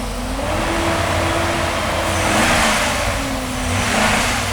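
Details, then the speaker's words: Classic V8 after a service, revving on old fuel: easy swells running fairly smoothly, no obvious stumbles, sounding happier than before. "That's better. That's the downside better, isn't there. it? It's a lot happier."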